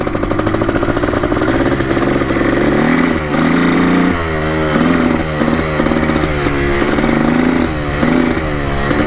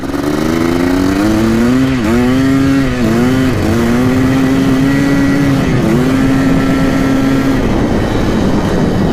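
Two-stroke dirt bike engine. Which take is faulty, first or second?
first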